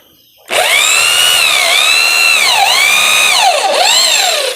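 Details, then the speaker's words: Electric drill run through a 60 microfarad capacitor wired in series on one power lead, as an anti-trip setup for a small 450 watt supply: strong steady high whine dipping briefly under drilling load and recovering quickly; drill runs at full power. "Kemudian akan kita coba bor. Kita lihat bunyinya. Wah, ternyata bisa kuat bro."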